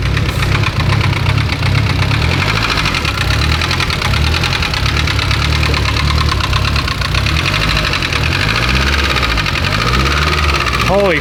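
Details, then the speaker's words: Mitsubishi Evo 10, started after sitting in another shop; loud sharp top-end knock at idle, steady fast tick on engine speed, no codes. "it is knocking really loud so and it's coming from the top end"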